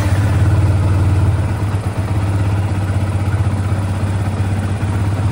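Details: Yamaha FZ150i single with new Tobaki double-iridium spark plug and Tobaki coil: quick, fairly even low putter about four beats a second at idle, no misses or odd knocks; sounds healthy.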